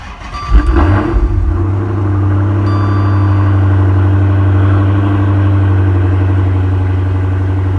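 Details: HEMI V8 after replacing the oil pressure sensor and clearing the fault code; catches quickly into a smooth, steady, deep idle with no knocks or ticks, oil pressure now correct at 4.5 bar, running healthy.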